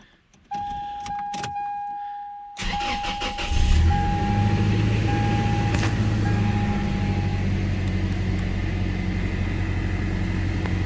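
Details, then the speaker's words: 2001 Toyota Tacoma 3RZ-FE, first start after a head gasket job and reassembly (timing confirmed correct, oil pan leak found); it had been spitting, sputtering and cutting out. Door chime, brief crank, then a steady, even idle with no sputter or miss; sounds a lot better. "it sounds a lot better"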